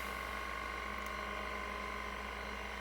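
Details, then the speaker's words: Vintage Seagate 5.25in hard drive: light, uneven ratcheting ticks, two to three a second, over a steady motor hum as the heads step around seeking track zero. "so you're hearing the drive micro stepping looking for its track zero it's trying to find its home position so to speak the controller will try this a few times uh before it gives up"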